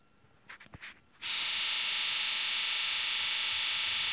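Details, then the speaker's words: Key-on engine-off injector buzz test on a Ford 7.3L Powerstroke, best done cold: a steady high electric buzz across all eight injectors with no stutter or dropout, all healthy injectors. "that's those are all really healthy injectors"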